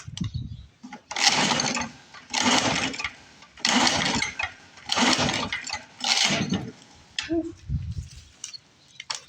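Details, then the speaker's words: Lawn-Boy Mag 21 mower left for scrap about 15 years, revival attempt with hand choking and tipping to fill the carb bowl: repeated pull-starts about a second apart spin it without firing. Cranks but won't start; owner suspects flooding or lost spark. "We might have flooded her. That or we might have lost spark. I hope not."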